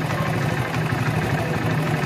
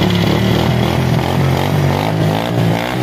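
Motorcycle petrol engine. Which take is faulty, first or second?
first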